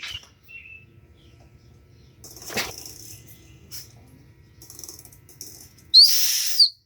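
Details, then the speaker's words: Subaru being hand-cranked clockwise with a 22 mm socket and a whistle screwed into the spark plug hole for a leak-down test: quiet, then a sharp high whistle lasting under a second as that cylinder comes up on compression, nearing top dead centre. "that that means it's on the compression stroke so you could just keep going until you hear a stop whistling and hope that's puts the piston at top dead center"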